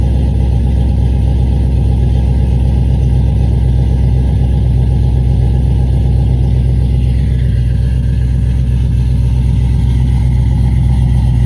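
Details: Cadillac CTS-V V8, newly tuned after new heads and cam: deep uneven loping idle with periodic stumbles; a misfire at idle.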